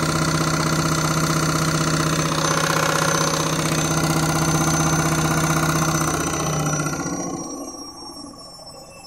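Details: Candy Mini Load washing machine, Rapid 30 program, final spin around 1000–1200 rpm: loud whirring with a throb about three times a second, fading as the drum slows; noisy spin, cause unclear.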